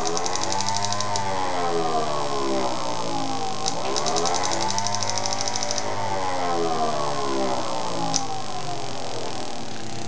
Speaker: If we disconnect that, you'll still hear the uh spark noise, and you can hear the two-stroke oil pump, which you hear running rapidly at wide open throttle because the engine only needs a lot of two-stroke oil with heavy loads.